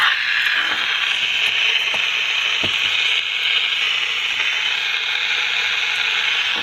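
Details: General Electric P-815A Deluxe 7-transistor radio during repair, after capacitor replacement: a steady hiss with scattered crackles and no station; output is more than before but there is still no tuning. Cause not confirmed.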